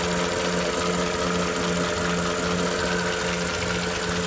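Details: 2008 Porsche Cayenne Turbo (957) 4.8L V8 at idle: light quick ticking about two and a half per second over steady idle hum; top-end tick, owner wonders if piston slap, cause unclear.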